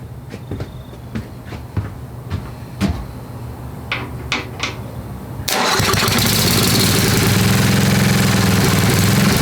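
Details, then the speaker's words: Old Craftsman 10hp Tecumseh riding mower, rebuilt water-damaged engine, still cold, choke partly on, rpm raised, fuel spritzed in: weak cranking puffs, then runs on its own, fast and slightly uneven; rough, owner suspects low fuel supply without a proper tank. "that ran on its own fellas"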